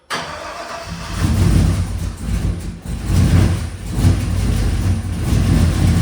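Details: V8 truck with an engine swapped in from another truck with a sloppy stage 3 cam after a rod knock; catches and revs with a lumpy miss, also running very rich with the MAP sensor unhooked.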